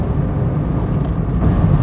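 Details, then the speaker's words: 1992 Toyota MR2 petrol engine after repair: steady deep drone revving all the way out with no knocking or ticking; the earlier knocking noise is gone. "I can rev all the way out and not a single noise happens. No more knocking. This is great."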